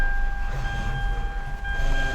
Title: WHINING POWER STEERING NOISE FIX | Easy noisy steering wheel fix | CAR NOISES | EASY FIX POWER